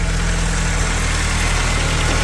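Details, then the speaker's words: 1980s VW Polo Mk2 Breadvan with 94,000 miles, started on the first turn of the key: steady, even idle with a smooth low hum and no knocks, misses or ticks; engine sounds sweet. "that sounds sweet so there we have it people this is the car I will be building on the channel"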